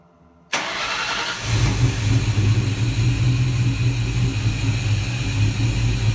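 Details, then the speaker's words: Ford Mustang Cobra with VMP Gen3 2.65L Terminator supercharger, first start after install: V8 catches on the first crank and settles into a loping, uneven idle; runs a little rough because the fuel system and injectors are not yet primed. "you'll tell on this first startup that the car doesn't really have fuel and all the injectors or everything it'll run a little bit rough but it did fire up on the first"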